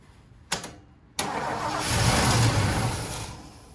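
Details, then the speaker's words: Ford 460 big block in a 1976 Lincoln Continental, 41,000 original miles: two quick cranks, catches, swells briefly and fades within two seconds, running only on starting fluid; not pulling gas from the tank, fuel starvation. "she ain't pulling no gas though there's two gas lines on this thing too coming from the tank"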